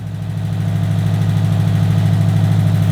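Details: 2005 Subaru WRX STI built engine, first start after repairs: fast steady drone with slightly uneven pulse, high idle running lean around 18 AFR on a fresh unlearned tune; aftermarket injectors tick, earlier engine ticking gone.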